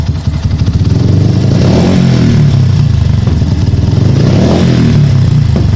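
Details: Yamaha Byson single-cylinder motorcycle revving and falling back: sharp pops in the exhaust as the throttle closes, even with the air hose (kabel ais) blocked off. The cause is not pinned down.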